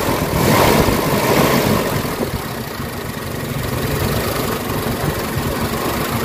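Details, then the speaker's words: Warm Mitsubishi Adventure gasoline engine at idle, hood open, before Xado engine treatment: idle pulses unevenly about four beats a second, speed sagging and wavering as if close to stalling; rough idle, throttle delay and low power. "Medyo mainit yung guys, mga RPM. Medyo nangangatal yung kanta ng makina."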